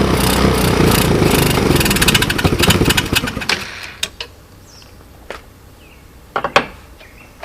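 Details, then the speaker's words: China quad ATV after a CDI replacement, choke on: the small engine runs rough and uneven for a few seconds, then sputters out; owner suspects it is running a tad lean and needs a carb rebuild. "I don't know if you guys could hear it but it's uh it's kind of running a a tad lean I had the choke on for it to run like that so I got to get into that carburetor spend a few minutes rebuilding it"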